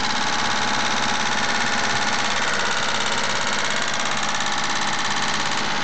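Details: Mitsubishi GTO at idle: fast, even light tick about three or four a second over the engine; owner suspects lifter tick and plans a change to Millers 10W-40 fully synthetic oil.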